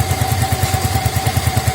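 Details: Yamaha Mio Soul fuel-injected scooter after no-start repair of rat-chewed engine-bay wiring: steady, even putter of about ten firing pulses a second with no misses or knocks; it idles cleanly.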